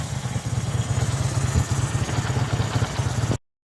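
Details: Kawasaki VN800 V-twin chopper, in a build to fix a big engine knock (rotor removed), has a lumpy, even idle with a steady low beat and no knock; a healthy normal idle.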